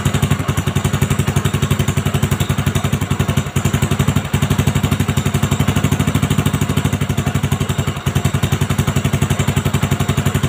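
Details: Honda Supra X 125 after a new cylinder block set was fitted, first start with the exhaust and carb refitted. Steady, even single-cylinder idle with no ticking or knocking. Earlier smoke and block noise were blamed on a crooked bore.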